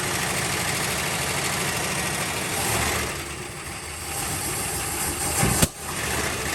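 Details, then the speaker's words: 1968 Dodge Monaco 500, rebuilt 440 Magnum V8 after 36 years, radiator filled: catches and holds a steady, fairly even idle with a rough edge, brief dip near end; normal start. "that's awesome that's awesome oh yeah that's what was supposed to happen in the first video"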